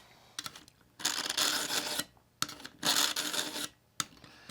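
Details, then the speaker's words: Work Sharp Pivot sharpener, coarse convex-carbide stage on a dull knife: harsh raspy strokes in bursts about a second long, like a file on metal, the grinding fading as more passes restore the edge. "And listen to the sound. It sounds like a file going across metal. The more I pull through, the less of that grinding sound you'll hear."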